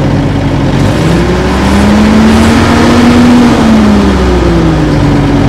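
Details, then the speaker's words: Old Fiat-Allis bulldozer diesel, revived after years sitting; revs climb and hold, then pressing the decelerator pedal drops them smoothly to slow speed for forward/reverse shifts, and releasing it revs back up; normal decelerator response. "if you have the throttle opened up and you're working you push that down that'll bring it back to an back to a slow speed so it can change from forward to reverse then when you let your foot off this rev up again"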